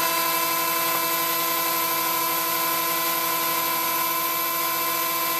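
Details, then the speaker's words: Several 20mm case fans in a Dell GX620; constant layered high-pitched whine, no rattle or grinding, working but a lot of noise, owner may pull them out. "Because, yeah, that's a lot of noise. But, I mean, it's working."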